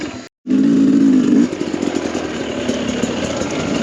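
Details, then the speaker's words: 2021 Sherco 300SE two-stroke with Lectron Billetron carb on trail, lacks pull uphill in third: revs cleanly, cuts on closed throttle, then picks up flat and muddy on reopening; carburetor bog on throttle reapplication. "I don't know if you can hear, but once I get off the throttle and back on, you can hear it bog a bit."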